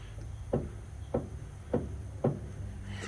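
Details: Ford F-150 with 8.8 rear axle leaking fluid: four hollow clunks about every 0.6 s as the pinion is rocked by hand; pinion bearing preload lost, possibly a spun bearing race, not confirmed.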